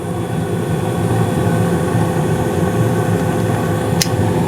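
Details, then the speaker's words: 2016 Carrier gas furnace, five years old, blower raised to medium-high heat speed: steady even air whoosh and low hum, no knocks, rattles or squeals; normal furnace operation. "sounds like everything's running great"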